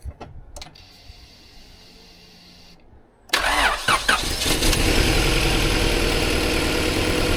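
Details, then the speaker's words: Car stored over 13 years, fluids and fuel pump changed, plugs very dark and oil black: cranks and catches, then uneven lumpy wavering idle; still running rough, owners suspect very bad old fuel and plan to drain it. "Still pretty rough. Still pretty rough. So, the idea is what we're going to do is because it's still running really rough. We think it's probably really bad fuel."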